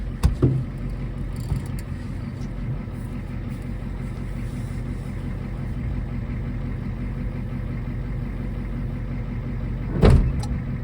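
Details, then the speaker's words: 1980s Ford F-250 diesel field find, driving after start; a transmission mount is out and banged earlier. A deep, steady diesel rumble with an even beat and no knocks or misses; it shifts well. Normal diesel running. "I wish this thing had a title if it actually runs as good as it sounds like it runs let's take her up the road a [Laughter] mile"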